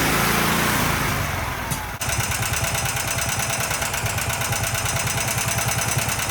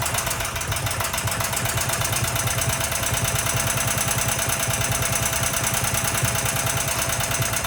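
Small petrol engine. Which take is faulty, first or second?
second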